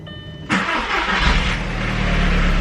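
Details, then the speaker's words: Flipped cheap Jetta after repair and new ignition coils, first start, check engine light still on, not in gear; quiet ticking, quick clean crank, catch and settled even idle with no misfire or stumble; sounds good now, healthy. "okay we are not in gear she sounds great not that she sounded terrible before but sounds good now which means i didn't royally mess up somewhere"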